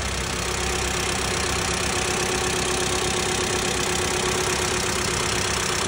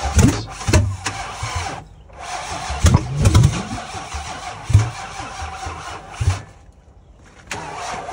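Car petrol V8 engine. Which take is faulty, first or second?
second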